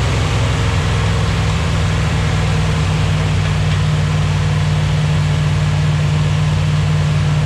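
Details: 241 Red Ram Hemi V8 during cam break-in, oil pressure about 30 psi: deep, steady rumble holding an even fast idle with no knocks or ticks; healthy engine running smoothly, possible vacuum leak mentioned.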